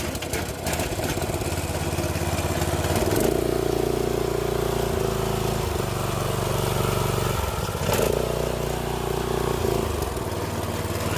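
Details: Giantz petrol high-pressure cleaner, small single-cylinder engine, new, first cold start with choke on: rough first second or two, then even drone at steady speed, no knocks or misses; running healthy.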